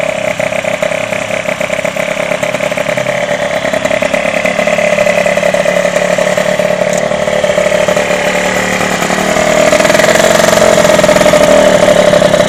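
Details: Derbi DRD 03 two-stroke, bought in a lamentable state, first start after complete engine restoration: sharp, buzzy crackle with steady rapid beat, even, picking up slightly near the end; normal running.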